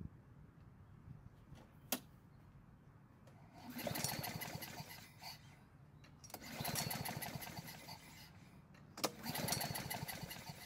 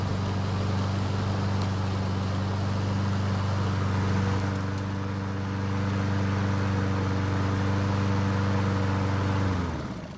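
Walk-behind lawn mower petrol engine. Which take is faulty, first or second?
first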